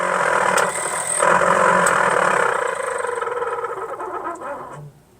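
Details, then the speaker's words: 1963 Ford Falcon Futura heater blower: raspy, fluttering whoosh with scratchy rattles fading as it slows; lots of leaves and debris in the original cardboard heater box and ducts suspected. "I I don't think my heater is supposed to sound like this"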